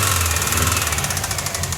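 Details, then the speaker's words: Turbo Subaru engine in Ford XA car on dyno, never overheated, no apparent head gasket failure: fast steady metallic knocking over idle with even beat; broken engine internals suspected, cause unconfirmed. "Yeah, that's just broken engine. Pretty sure that's just broken engine. Sounds like it's in there."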